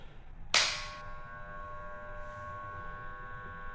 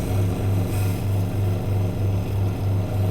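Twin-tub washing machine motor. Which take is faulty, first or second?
first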